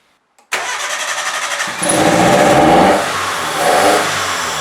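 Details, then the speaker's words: 1998 Mitsubishi Colt, over 120,000 miles, started just after throttle body cleaning: cranks briefly, catches and revs unevenly with a wavering pitch as cleaner and loosened carbon in the intake make it run rough for a while before smoothing out. "the engine will run rough for a little while then you will hear that it's much smoother than on the beginning"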